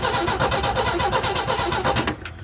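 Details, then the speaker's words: Old International Scout slant six, not run properly in years, cranking with battery about 12.4 V, no fuel yet, checking ignition points: steady starter chug about six beats a second, never fires; no spark. "Okay. You getting spark? Actually, no, there's not."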